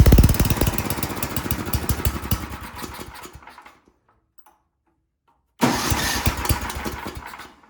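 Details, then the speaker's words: Ariens snowblower sat years in barn, after fitting a temporary fuel line: starts readily, quick even single-cylinder beat, stops cleanly, restarts smoothly; runs like a champ, normal running. "Well, it runs like a champ. That's awesome."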